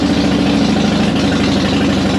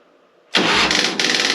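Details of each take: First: 2005 Harley-Davidson Softail Deluxe after wire-brushing both battery cables to fix slow cranking and hard starting, choke pulled: steady, even V-twin idle with a regular loping beat, no misses or starter noise; fault was battery contacts, not the starter. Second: 2005 Harley-Davidson Softail Deluxe with the choke out and a new battery: a labored churning burst of about a second as the starter drags the engine over slowly, caused by poor battery cable contact. Wire brushing both cables fixed it.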